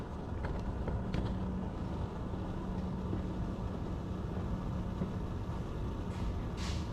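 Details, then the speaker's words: 2001 GMC Sierra 2500 6.0 V8, after a new starter replaced one with a loose wire, for an intermittent no-start: low, steady rumble with an even hum and no misses or clatter; the V8 idles smoothly and healthily. "Let me fire this thing up with the new starter and you'll definitely be able to tell the difference."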